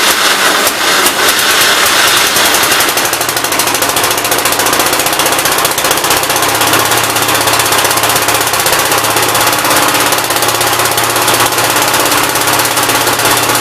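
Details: 1957 SR Gravely single-cylinder after top-end rebuild with 15-over rings: steady idle with an even, quick firing beat, no misses. Idles decently and no longer smokes heavily as before the rebuild; normal idle.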